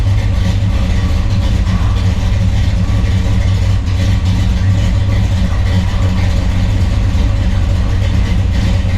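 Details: 1963 Chevrolet Bel Air V8 with 4-speed, on jack stands after replacing flywheel, clutch, clutch fork and rod for chatter: steady, even low rumble, no knocks, chatter or driveline grinding; engine and gearbox healthy.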